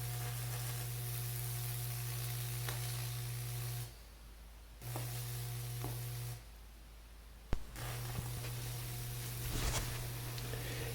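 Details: Lichtenberg burner built from a microwave transformer, burning wood wetted with water and baking soda: a steady low transformer buzz with a faint crackling sizzle, cutting out twice between burns. Normal arcing burn.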